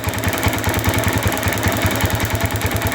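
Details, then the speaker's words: Motorcycle coil ignition test with a spark gap over 1 cm between coil lead and spark plug: bike still runs, even steady putting at about eight pulses a second, no misses; coil ignition judged normal, healthy idle. "motor masih nyala berarti pengapian di koil Masih normal oke ya dengan jarak 1 centtian lebih ya 1 centtian lebih motor masih bisa nyala ya"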